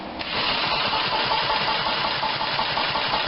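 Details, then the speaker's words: Generac 2500 psi pressure washer, bought not running, rusty flywheel magnet, compression test while cranking: even starter speed with steady compression pulses; reads a little over 50–60 psi, possibly with compression release, enough to start and run. "okay so she's got a little over 50 pounds but 60 pounds and it might have a compression breaker but that's certainly enough to run it and get it started"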